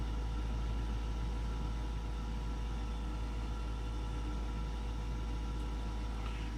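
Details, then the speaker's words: Goodman furnace after pressure switch fault repair, status light no longer blinking: burners light and run with a steady, even low roar, no popping or surging; normal burner operation. "Yeah, there went the burners. That's cool. Well, the burners are lit."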